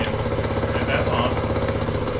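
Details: 1979 Honda Trail 90 (CT90) 90cc four-speed single, first start in 26 years after sitting as a barn find: engine thumps unevenly at fast idle with the beat stumbling now and then, just brought back to life and running rough.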